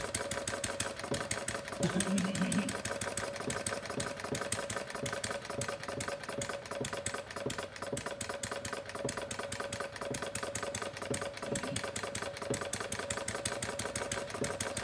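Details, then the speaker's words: Homemade single-cylinder plumbing-parts gas engine (about 0.875 in bore, 1.5 in stroke, 7 in flywheel), running fast and misfiring as the needle valve is turned clockwise to lean the mixture. Rapid even ticking eases off. Engine slowing during mixture adjustment. "start closing down with leaning up the mixture as I do that I should slow down"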